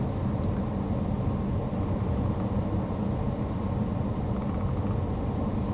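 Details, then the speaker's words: 2010 Nissan Armada after replacing the rear HVAC blend door actuator with an aftermarket part to cure rear clicking: steady engine and blower hum, no clicking or ratcheting while temperature is switched; normal blend door actuator operation. "it's working here or not me but it's not clicking so I think it's working my wife do that while I check it later but no more clicking sound which I can't stand"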